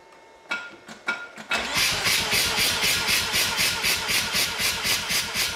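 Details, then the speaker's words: 7 rotary engine compression test, cranking with plugs out on a fully charged battery: about four pulses a second, slightly uneven; one pulse weak, two good near 75 psi, suggesting one weak chamber, not yet confirmed. "what I saw was one of those pulses are weak so I've got two that looked like good pulses running close to 75 pounds"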